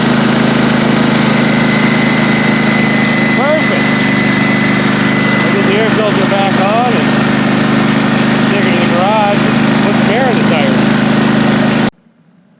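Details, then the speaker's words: Old John Deere 185 mower, sat for two years, bought for scrap; after new battery, starting spray and carb cleaner on gummy choke, small engine fires up and holds a steady, even drone with no misses, then cuts off; runs pretty good. "that thing fired up and ran pretty good"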